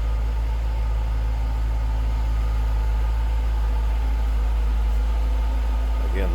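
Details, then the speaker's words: 2000 Jaguar XKR V8, stock unmodified exhaust, idling, heard at the rear: deep, steady, even burble with no misses or knocks; healthy idle. "No crazy exhaust, no modifications. Just what you'd expect it to sound like. Great sounding"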